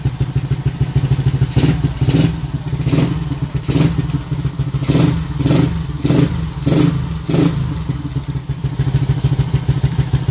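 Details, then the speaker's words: Up-spec motorcycle at night, battery weak: repeated short throttle blips over a thumping idle, each rev choked and muffled; exhaust flow restrictive and sound poor though response okay; owner will change to another exhaust, perhaps a 2-inch one. "Angin tak lepas sangat ni. Ikat ke laut ni. Tapi tak apa lah. Respon okey. Cuma angin exhaust memang tak lawa sangat lah."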